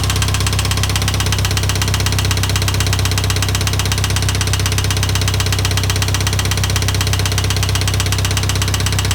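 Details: IH 2544 tractor engine at steady idle: a regular knock, about two to three per second, rides over the idle; the source of the knock is still not determined.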